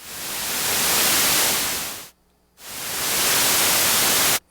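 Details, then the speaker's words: 1974 Minimoog synthesizer after restoration: repaired noise source gives a smooth, even hiss swelling up and cutting off twice under the volume control, no crackle or dropouts; noise source now works properly. "I also I fixed the noise source so here's your noise source good clean volume control"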